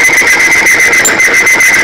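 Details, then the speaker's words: Timken OK load test of 10W-30 oil, bearing specimen loaded with increasing weights; piercing, steady high squeal with a faster pulsing edge as the bearing seizes from lubricant film breakdown and does not recover. "and as you can hear it's seizing up it's really turn comes up we're going to let it run to see if it will fix itself it's not repairing itself so we're going to stop the"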